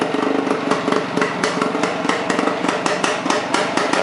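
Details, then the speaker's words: Suzuki motorcycle after a basic restoration, carb reassembled without adjusting the idle, choke on. It chugs at a steady, even idle with regular firing and no knocks, though the kill switch didn't stop it: normal idle. "I didn't even adjust the idle on the carb or anything just put it right back the way it was when I tore it apart chugging right along sounds good"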